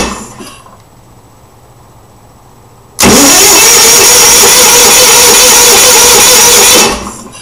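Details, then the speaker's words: Onan generator with confirmed spark, pump jumped pin 9 to pin 5, no fuel smell at carburetor: steady loud starter whirring about four seconds with no firing; cranks but won't start, fuel delivery fault from a confirmed bad fuel pump. "okay so not much of anything but that's what it was doing but the good news is is that we determined for sure that I had a bad pump and they determined for sure that I had spark"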